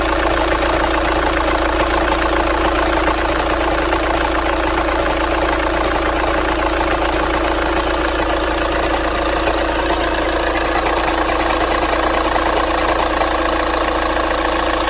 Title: 2012 Volkswagen Jetta TDi Highline. Engine Knock